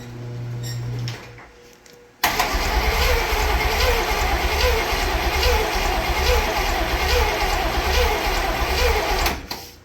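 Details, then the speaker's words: Barn-find Cadillac 7-liter V8, unstarted 30+ years: steady fast cranking about three turns a second for seven seconds with linkage moving, smoky and smelly, no firing; suspected no spark. "I don't think we're getting any spark."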